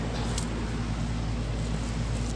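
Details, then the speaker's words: Mobile home HVAC unit model FB4ANF030, burning smell reported indoors, cooling set to about 66 and heard outdoors: steady low hum from fan and compressor at an even level; condenser running. "that's right now it sounds like a condenser sound without question that's not just the fan that's definitely condenser"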